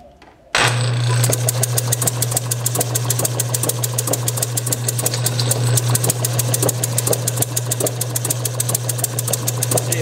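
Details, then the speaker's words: Bessemer model engine driven by electric motor, Hall-sensor spark, timing about 15 degrees before TDC: low hum with uneven pops about three a second, some beats skipped; owner suspects too little fuel/air mixture or compression leakage; irregular firing. "yeah this is this is just a hair before just a little bit before top dead center like it's hitting just about every stroke"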